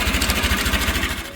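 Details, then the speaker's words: Honda Shine motorcycle with an unusual engine noise reported by the owner; rapid rhythmic knock, traced to a completely choked oil filter starving oil pressure, fixed with a new genuine Honda filter and fresh oil. "गाडी मालक म्हटले गाडीच्या engine मधनं वेगळाच आवाज येतोय तो आवाज तुम्ही"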